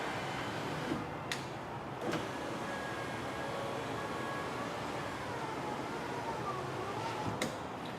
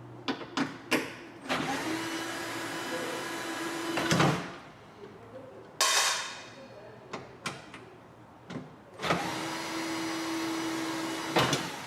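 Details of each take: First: 2004–2008 Ford F-150: power window regulator motor just replaced, tested with door switch; quiet smooth motor hum runs steadily between switch clicks, no grinding or binding, window stays up. Normal window motor operation. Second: 2004-2008 Ford F-150 old power window motor removed, before replacement with a Motorcraft WLRA3. Two long strained steady hums with no free-running whir; it no longer turns: failed power window motor.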